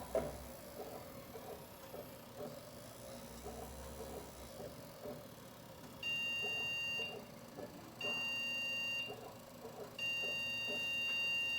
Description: When the computer sends 2 short beeps and 1 long beep repeated 5 consecutive times, the cause most likely refers to a problem with the video card!